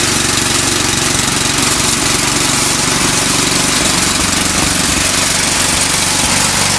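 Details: Eaton Viking tracked snow blower after new carb, fuel lines, belts and track repair/adjustment: small engine runs loud and steady with an even beat, no rubbing or scraping from the track; sounds normal.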